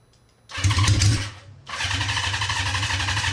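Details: Honda CB550 with no muffler, running on starter fluid rather than its dirty tank: brief crank, sharp bark, then a loud, steady, even idle with no misses.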